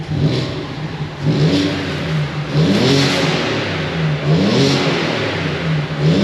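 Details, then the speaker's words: Audi A4 Cabrio 3.0 V6 after full engine rebuild, started after a year: catches cleanly and revs up and down in smooth, even sweeps with no knock or rattle; runs healthy. "Evet Arkadaşlar gördüğünüz gibi araba Gerçekten çalıştım bir senenin sonunda şu anda sağlıklı da çalışıyor görünüyor"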